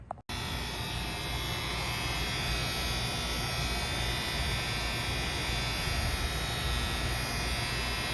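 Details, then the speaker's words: AC condenser unit started from the thermostat on a 78-degree evening: steady constant-pitch buzz while the contactor is pulled in, judged just a relay or contactor buzz, possibly a loose cap, in a potential warranty call. "it sounded to me like a relay buzz um you know just the just the contactor itself kind of making a making a buzz while it's pulled in"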